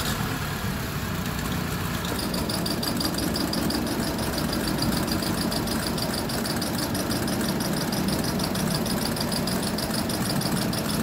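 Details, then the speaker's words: Honda City/Civic FD with check-engine light, DTC for ignition coil primary circuit: uneven, lumpy idle with stumbling beat under a ticking top end; misfire from one failed ignition coil, not fixed by new spark plugs. "da Okay sira yung isang ignition coil try muna natin to"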